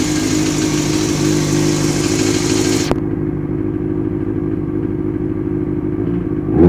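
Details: Kawasaki ZX-6R engine runs and revs with a clattery metallic edge over the exhaust, then drops back; strange noise, owner suspects a bent valve, unconfirmed.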